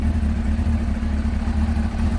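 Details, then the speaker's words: Kawasaki ZX6R J2 inline-four after carb rebuild with new main jets, needle clips adjusted and carbs balanced, warm at 44 degrees, idle set slightly below the specified 1300 rpm: quick even idle pulse, steady hum, no misses or rattles; normal idle. "That sounds nice, it's at 44 degrees."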